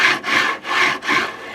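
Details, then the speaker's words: 3D printer (Anet/Creality type) bed linear rail: harsh raspy grinding swells and fades each bed stroke, about every 0.4 s, rough spots felt; rail pitted, bearing balls dropping into pits; worn linear rail bearing grinding. "doesn't it I feel like there's some bad berries because I can feel it feels like it's I mean it feels some rough spots like you put your hand on there and you can feel it"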